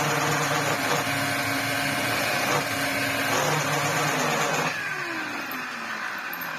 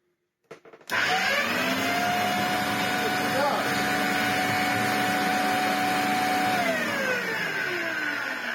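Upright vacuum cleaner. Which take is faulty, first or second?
first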